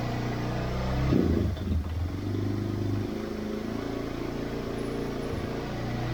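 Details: 1999 Yamaha Bear Tracker 250 ATV, suspected bad gas: single-cylinder idle wavers and sags then picks back up unevenly, idling then bogging.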